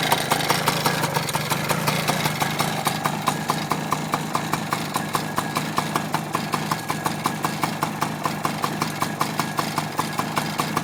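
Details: 1995 Yamaha PW80 two-stroke idling steadily with a sharp, regular rattle, about one hour after a new piston and rings. The old piston was burnt and chipped. The engine runs and idles well with good power, and the owner wonders if the rattle is normal.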